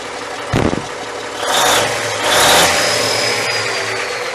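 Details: Cummins 855 Big Cam IV NTC 350 diesel after an in-frame overhaul, idling after fixing a leak: a couple of brief throttle surges that settle back cleanly, no knocking or stumbling; normal idle.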